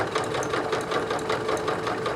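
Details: Singer 9970 computerized sewing machine (probably mid-2000s) sewing folded stack of layers that barely fits under the presser foot: quick, even needle thumping with soft motor hum, steady, no labouring or knocking; healthy.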